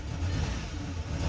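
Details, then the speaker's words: 2012 Volkswagen, started by holding the key after it wouldn't start. Low, lumpy chugging that stumbles unevenly as revs rise, and it dies without throttle. Rough running misfire with a really bad idle; it must be held near 1,000 rpm to keep running. "And this is how rough it runs. And if you don't give it any gas, it will die. And as you can tell, it has a really bad idle."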